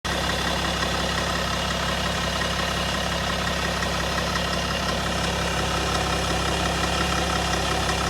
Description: M57D30 2008 525d lci e60/61 Timing chain noise